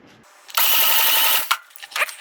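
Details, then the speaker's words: MGB that sat for 15 years, cranking during a compression test (about 175 on cylinder 1, about 135 on cylinder 2): under a second of rapid, even but laboured chugs; slow cranking from a tired battery. "So also the batteries sound like it's a little tired, so I have that going too."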